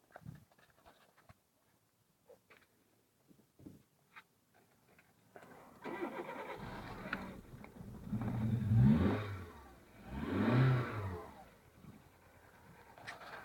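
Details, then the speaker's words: 1999 VW Polo 6N1 petrol: starts, revs twice and falls into an extremely rough, stumbling idle despite a new head gasket, #2 injector, HT leads, throttle body and coolant sensor; plugs sooty, unburned fuel smell, owner suspects running on three cylinders. "hi everyone hello 6n1 think we're terrible rough idle help we've done the head gasket change the oil obviously tried replacing indexing number two completely new throttle body new HT leads kind of our wits end"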